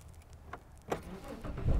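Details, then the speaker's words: 2008 Dodge Charger with intermittent no-crank and a good starter motor: single click, noticeable pause, then cranking; the major delay before the starter engages comes from a faulty starter relay. "Major delay. It was there. And the other thing too, that to match this is battery voltage."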